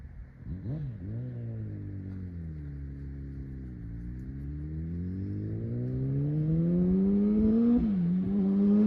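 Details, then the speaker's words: Kawasaki ZX10 roll-race bike on its first test ride, warming up: engine note climbing through the revs with a ragged, stuttering edge and faint spitting, misfiring under acceleration; rider suspects spark plugs or needs a tune-up. "Right here is where I realize the ZX10 is misfiring. So, she's spitting just a little bit."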